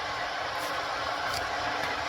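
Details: Ninja electric kettle on first use: steady, even hiss with a faint low rumble building gently as the water heats; normal heating noise.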